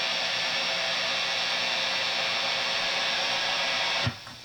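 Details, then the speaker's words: Boss Katana Mk II 100W head on crunch channel, gain cranked, boost engaged: loud, steady hiss with low buzz, amp buzzing badly and feeding back at high gain, then cut off abruptly. "As you can hear, the buzzing sound, it's awful from this amp. With any boost engaged, even the built-in boost, still it buzzes like crazy and feeds back."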